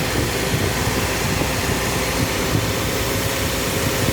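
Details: Toyota Vios Gen 2 idling with the AC engaged: steady, even hum with no rattle, knock or grinding; the compressor is running smoothly.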